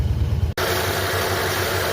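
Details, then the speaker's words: 1964 Dodge Dart first cold start after months parked, one carburetor pump: catches, then lumpy, slightly uneven wavering idle, seems to skip; running rough, ignition wires not yet replaced, not yet warmed up, cause unconfirmed. "Running a little rough. But, she's running."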